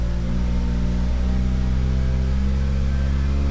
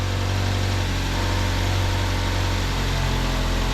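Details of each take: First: 2009 Ford Fusion 2.3L, cold start with head temperature around 48° and climbing: low, heavy idle drone that is not fully smooth, a misfire needing throttle to stay running, traced to a vacuum leak from a faulty intake manifold. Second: 2009 Ford Fusion 2.3L after reconnecting a loose cam position sensor, replacing a broken cylinder head temperature sensor and connector, and clearing codes: after a brief idle flare it settles into a steady, smooth idle, though an intake runner control stuck-open code followed.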